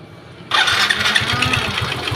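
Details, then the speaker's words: Yamaha Xeon GT 125cc scooter engine, rebuilt twice in one year with low-quality (KW) spare parts, runs harsh and clattery with an uneven beat; rough running. "ini suaranya begitu kasar ya itu telinga Saya mau dengar itu apanya itu"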